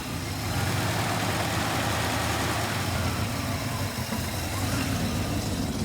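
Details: 1967 Plymouth Fury III (383 V8, per tags) just after its first start in 15 years, smoking and burning off dust: steady, throaty V8 idle holds evenly without stumbling or knocking; engine running smoothly.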